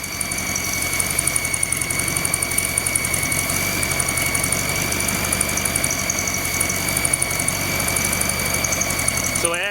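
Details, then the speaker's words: Volkswagen, under 1000 miles since rebuild, rough idle: steady idle with lumpy undertone and faint hiss that smooths when carb cleaner is sprayed at the manifold; intake manifold base gasket leaking, possibly loosened. "So I'm going to put the belt back on it, start it back up, and I'm going to spray carb clean around this intake manifold, and we'll see if it smooths out, if the noise goes away."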